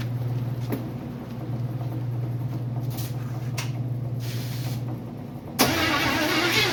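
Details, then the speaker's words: Freshly built 350 Chevy first start attempt, fuel fed from a bottle; sluggish starter drone at roughly four labored turns a second without catching, battery flat: slow cranking from weak battery. "Battery's dead. Damn it. Alright, put a charger on it for a bit."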